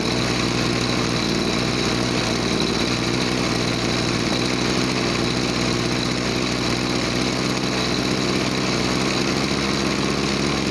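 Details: Small two-stroke agricultural sprayer engine, formerly bogging with no power on throttle, after carburetor cleaning and air/fuel screw adjustment: steady, even buzz with no bogging or surging; normal running.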